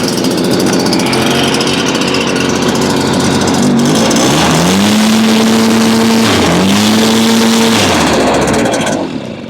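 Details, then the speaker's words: Stihl two-stroke blower with a no-power bogging fault, before repair: loud roar that sags and wavers instead of holding full revs, not reaching full RPM and seeming to run out of fuel; cause suspected, not confirmed. "she's not getting up full RPM you hear bogg and running out of fuel"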